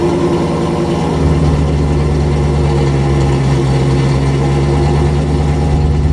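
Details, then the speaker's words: C4 Corvette cold start after sitting 2–3 months on a battery tender; deep, even idle settling smoothly with a steady low rumble, no misses or ticks, smoke from the exhaust tips; healthy. "And so it's been sitting here not starting or running, and it's going to be a pretty cold start. So let's get this baby started and see how good she sounds."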